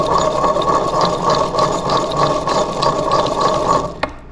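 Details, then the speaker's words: 2004 Honda CR125 engine, crankshaft turned by hand: gritty, rasping grind pulsing about three times a second where rotation should be almost silent; main bearings definitely bad, slight connecting rod play, crankshaft to be replaced. "uh normally that uh rotation would be almost silent and so the main bearings are definitely bad"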